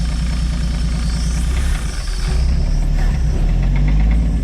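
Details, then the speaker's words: 1964/65 Chevy G10 van, sat 25+ years, running after float bowl refilled; deep uneven knocking thumps, three or four a second, under rough low idle, seeming toward rear; engine knock, cause unconfirmed. "Hear that knock though? It's not a healthy motor."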